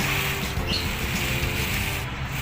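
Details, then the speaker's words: Toyota Vigo pickup after replacing both lower ball joints, removed from below without a lift: steering turned, steady low engine hum with no clunk, creak or knock from the front suspension; worn ball joints were the cause of the noise when turning the wheel. "หมุนเอ่าเงียบกิบนี่แหละครับคือสาเหตุนะฮะคือสาเหตุของการดังเวลาเลี้ยวพวงมาลยนะครับสำหรับรถโกคันนี้นะฮะเรียบร้อยเรียบร้อยแค่นี้จบนะฮะ"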